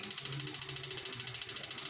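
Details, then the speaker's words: Instant gas geyser with the igniter clicking but not lighting: rapid dry ticking, about twelve clicks a second, with no burner whoosh following. The first check suggested is the gas main line and regulator. "आज basically हमारा जो topic है वह gas के जो geyser होते हैं उनमें एक आवाज़ ए रही होती है जो कुछ इस तरीके की होती है"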